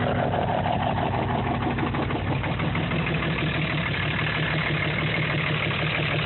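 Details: 2005 Dodge Ram 3500, 325hp/600 Cummins common rail diesel at idle: rough with an uneven chuff and pulsing under the clatter, about three beats a second; oil filler cap dances from heavy blow-by caused by bad injectors, so the engine needs a rebuild.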